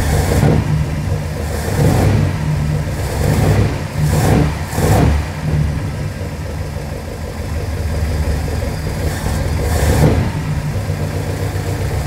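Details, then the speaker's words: 1969 Mercury Monterey 390 V8, first start in 16 years on a primed carb and a temporary fuel setup: deep, even rumble with a few throttle blips, settling to a steady idle. It pulls fuel from the tank, with no ticks or knocks: normal running. "i mean she's idling without a problem um obviously pulling fuel um because it's running on its own um there's no noises in this engine there's no ticks there's no knocks no nothing like that"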